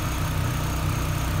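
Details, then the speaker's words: Renault Clio 182, cold, after replacing all four faulty fuel injectors (flashing engine light, misfire): steady, even low idle with no lumpiness or stumble. Normal idle. "i can say now there's no lumpy idol that's running sweet as about i can already tell that fantastic news"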